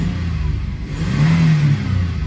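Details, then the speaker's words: 2002 Toyota 4Runner after diagnosis of its start-stall fault, found to be an erratic MAF sensor: idle holds steady at about 740 rpm and throttle blips rise and fall cleanly on all cylinders; normal revving. "Firing on all cylinders."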